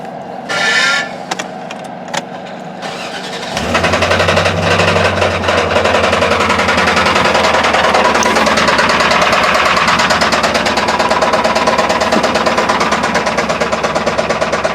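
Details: Old high-use truck that developed a nasty engine knock while hauling a load: it catches after cranking and settles into a heavy, fairly regular knocking about three times a second over a rough idle; serious internal knock.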